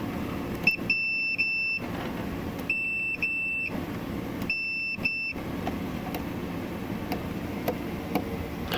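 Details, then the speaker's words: Multimeter doing continuity checks inside a Farfisa O.R. 200 amp: high continuity beep sounds in bursts, then cuts out repeatedly even on parts already tested as good; the meter itself is faulty and dropping out. "even on parts that it had previously tested and said we're good it it suddenly lost continuity"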